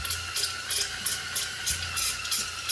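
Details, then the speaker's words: Rebuilt Opel CIH engine before initial start-up, oil pump primed by spinning it with a drill and modified long screwdriver through the timing cover: rhythmic hissy squeaks about three a second from oil and air churning; normal oil pump priming noise. "And you spin it up, you'll hear it go. You hear it squeaking, That's the oil and the air."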